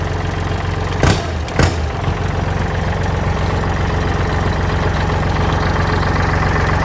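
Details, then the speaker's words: Used 2009 Kubota L3408Di tractor diesel idling; two brief thumps then a steady, even low rumble with no knocking, engine tight, no white smoke; dealer-reconditioned, engine and transmission described as excellent. "สวิทช์กุญแจสตาร์ทครึ่งเครื่องแน่นมากนะครับไม่มีควันขาวนะครับ"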